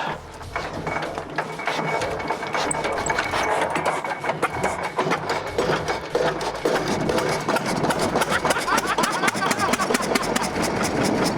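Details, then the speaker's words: Cummins Model C single-cylinder diesel, circa 1920, 6 hp at 520 rpm, cranked up to speed with compression release open, then flipped over: slow cranking gives way to sharp, evenly spaced firing pops that steady and quicken; normal start and run. "This Model C is an almost century-old piece of diesel history, and it's still running strong."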